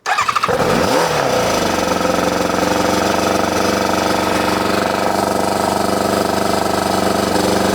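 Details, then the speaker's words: ZZR600 under restoration, first start on choke after exhaust work: a sputter and pop as it fires, then a harsh, very loud, raspy idle. The silencer baffle is missing; owner plans to fit a cap in the exhaust to quieten it. "Turn it off cuz that is proper noisy. So I'm going to put the uh the little cap in to make that a bit quieter."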